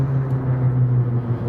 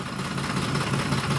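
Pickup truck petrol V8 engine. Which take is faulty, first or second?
second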